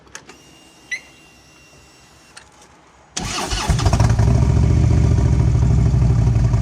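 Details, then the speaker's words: 2011 Harley-Davidson Road Glide CVO with the exhaust partially gutted: cranks and catches at about three seconds into a deep, loud, loping V-twin idle; loud exhaust with the baffles removed. "And This is what it sounds like with the baffles gone."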